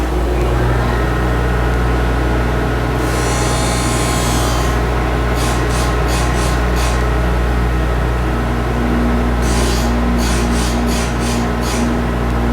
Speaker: so this this changes pushes and moves the toe in and out and it pivots around a bearing on the heel here so you can hear it just just touching as we're passing that front line